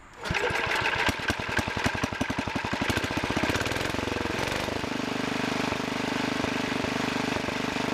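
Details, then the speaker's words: 1963 Wheel Horse 7763 tractor with two 7 hp engines, rear engine run alone: single-cylinder thumps with uneven puffs and skipped beats, then steadier; main jet mixture adjustment needed, fixed by turning needle over half a turn. "yeah there's the puffing sound so I'll mess with the main adjustment here"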